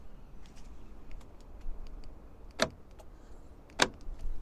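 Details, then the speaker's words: Iveco Daily van after central locking fault repair, mic held close to door actuator: two short crisp clunks about a second apart over quiet background; door lock actuator throwing cleanly, working normally. "so I put my mic closer to that and you can hear the door actuator so you can hear the door actuator going on that side"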